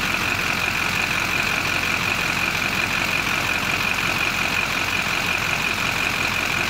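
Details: LB7 Duramax diesel started after fitting an ACDelco TP3018 Professional fuel filter (direct replacement, water separator plugged in, filter sits on the CP3): steady idle with a high hum over it, no stumbling or surging; runs cleanly.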